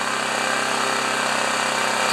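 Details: Honda EB2200X generator running with auto low idle turned off: steady, high-pitched strained drone; governed speed set too high, later turned down to 3400 rpm.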